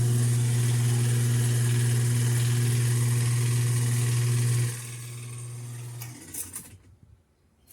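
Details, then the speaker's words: American top-load washer motor hums steadily but won't agitate; worn motor coupling slipping instead of driving the transmission, with some oil seen at the sides. "Vamos a ver qué es el síntoma que hace y cuando escucho este sonido créeme que yo me siento contento porque yo ya sé exactamente lo que es, aunque ni siquiera la haya visto por abajo."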